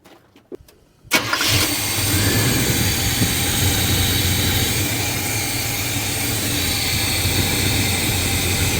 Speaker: But, it is running significantly better. It starts way easier. >> It does start easier, yeah.